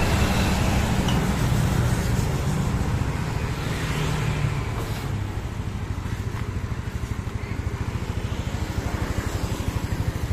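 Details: Yamaha Mio Sporty scooter after repair for lost compression (leaking valve or piston rings blamed): revs drop to a smooth, even putter about three pulses a second, no knocks or misses; engine smooth, no smoke, stable idle, exhaust leaks.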